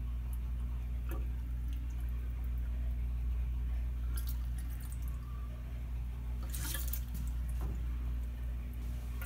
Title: Drain in restroom making strange gurgling and burbling sounds